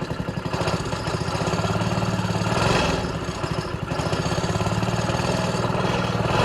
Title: 3hp Briggs starts up for the first time after rebuild